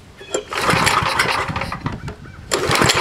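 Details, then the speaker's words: Old snowblower small engine with no electric start, fuelled after confirming spark: pull-start catches in two bursts, sputtering and firing unevenly before picking up and running; owner calls it a good running engine. "but that's a good site that's a good running engine you can hear okay"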